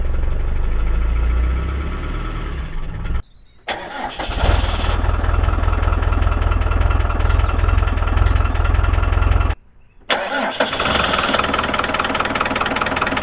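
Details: Land Rover Discovery 1 diesel, neglected and standing outdoors, in neutral after glow-plug preheat: cranks, catches, drops out briefly, then clatters into uneven idle; hard start after long storage, dog barking nearby.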